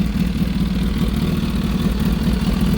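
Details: Kawasaki ZH2 with a newly installed BLR Tuning 3-port catch can and a Turbo Smart blow-off valve, warmed up a little: even, low throbbing idle with a steady beat and no knocks or misses; normal idle.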